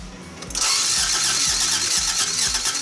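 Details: Toyota AE86 after new coil, igniter, fresh gas and a different battery, cranked while checking for spark; steady rhythmic chug that never catches, cranking with no start; fuel pump suspected, fuel delivery to the rail being checked.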